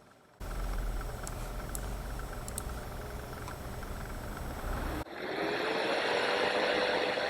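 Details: iMac fan manually run up to maximum speed: a smooth, steady whoosh with no rattle, a normal fan. The optical drive fan was the one with failed, rattling bearings.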